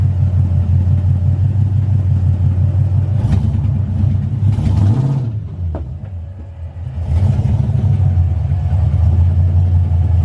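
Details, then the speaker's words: Ford Foxbody V8 idling with a harsh, uneven, puffing rumble; exhaust leak, not yet fixed. "as you can tell you can probably hear that exhaust leak it sounds really nasty"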